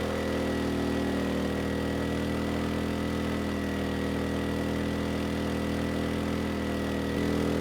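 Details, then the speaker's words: ERAYAK 3500 W tri-fuel inverter generator running on propane with load raised from 1500 to 3,000 W; even, steady engine drone holding speed, no surging, knocking or hunting; handles the load fine. "we'll bring it up another 750 and now 3,000 the engine sounds good so no issues pulling a 3,000 WT load on"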